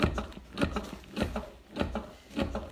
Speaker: do you hear that clicking sound yeah that's telling me the rhythm to go up and it's gonna tell me when to stop again